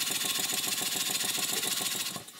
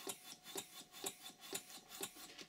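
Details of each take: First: Stuart 5A model steam engine, bought online, on steam oil with pressure turned up: quick, even chuffs about seven or eight a second, no knocks; runs smoothly, slight flywheel run-out, normal running. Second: Stuart 5A model steam engine running on compressed air with valve timing set wrong: uneven hissing puffs, about two strong a second with weaker ones between; rough running, to be corrected by moving the eccentric so air is admitted later.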